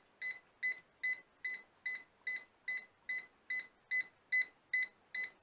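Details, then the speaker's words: Ultimate Speed 12000 jump starter on a completely flat battery, drained for a day by a 60 W lamp that is still connected: red light on, steady high beeps about 2.5 per second, and it refuses to start. It works once the lamp is removed. "ne marche pas il bip voyant rouge est allumé donc là vous pourrez pas démarrer la voiture"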